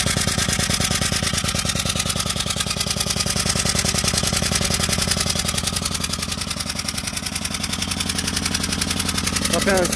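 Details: Citroën C2 1.1 petrol: loud, rapid, sharp puffing over an uneven idle with vibration and loss of power.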